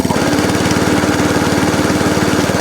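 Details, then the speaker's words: ATCO Balmoral 14S cylinder mower after a new throttle cable and carb leak fix, running with drive and cylinder engaged: fast, even single-cylinder putter holding steady speed, not hunting, no fuel leaks; normal running under load. "The engine's not hunting. Drive. Yeah. Drive and cylinder. Yeah. Idle. Still no fuel leaks."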